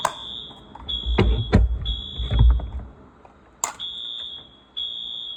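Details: Wheelock new-series fire alarm, wired up and tested: bright, high-pitched piercing tone in repeating bursts with a few handling knocks between; alarm sounding as it should.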